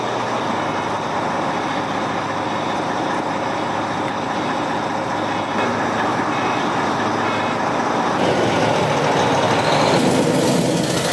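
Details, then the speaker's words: Volvo truck diesel being restored, first run after starter armature trouble: rough, pulsing roar at idle that swells and harshens, frightening noise so engine was shut off; cause not pinned down. "я его заглушил меня звук этот испугал Мали Ну да что-то он просто на хостом ходу был и такой звук"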